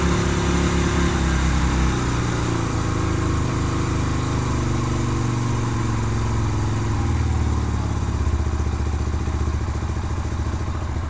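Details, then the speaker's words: 2007 Yamaha Virago 250 V-twin, air filter box off, tank loosely fitted: the idle stays high after a rev and only slowly sags back down. Owner plans to adjust the air-fuel mixture screw. Hanging idle. "Sounds like the idle's hanging a little bit. I'm gonna have to adjust the air fuel mixture screw."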